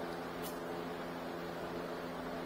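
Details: 2017 Nissan Rogue, newly replaced blower motor tested with engine running, fan turned up to a higher speed: steady even whir and constant low hum, no rattles or squeals; normal blower operation after replacement.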